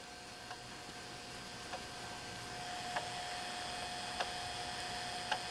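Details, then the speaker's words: Repaired JVC VHS-C camcorder recording after refitting a slipped take-up belt that had caused tape eating: faint, evenly spaced click about once a second over a quiet steady transport whir; intermittent clicking, owner expects it to go away. "You might be able to hear that clicking, but that is all it's doing, and I have a feeling that's going to go away completely eventually as well."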